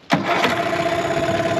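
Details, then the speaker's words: 2003 Mercury 15 hp two-stroke electric-start outboard, bought with shifting and running issues, restored and lake tested: short starter crank at the dock, then it fires right away and settles into an even two-stroke idle; normal start. "it fires right out so let's leave the dock and let's see where this motor goes out on the lake"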